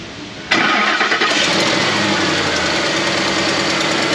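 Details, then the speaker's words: Ford F-150 5.4 3-valve with replacement engine, starting and idling during oil pressure check (about 50–55 psi): fast light ticking following engine speed is the exhaust leak, not the noise in question; exhaust leak. "we got plenty of oil pressure that's not the noise in question that's the exhaust leak"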